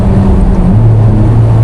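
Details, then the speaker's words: 2007 Ferrari F430 Spider, two owners, recent suspension work, driven while still warming up: steady engine drone drops in pitch as the gearbox upshifts cleanly; shifts quick and responsive with no problem, normal gearshift under acceleration. "gears work. Shifting 68, no problem. Nice and quick and responsive."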